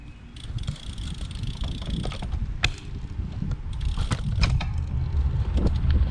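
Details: Bicycle ridden over bumps after swapping back to the original wheels: irregular sharp creaks and clicks over low rolling rumble; creak persists.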